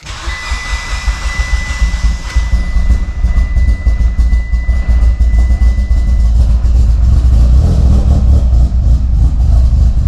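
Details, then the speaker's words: Mitsubishi Evo with a used replacement engine, first start after long cranking and full throttle: steady, even low rumble with no knocking or ticking, 80 psi oil pressure; sounds healthy. "all right she's running all right she's running yeah that was weird it took full throttle for a couple seconds and she fired up sounds healthy sounds really really healthy"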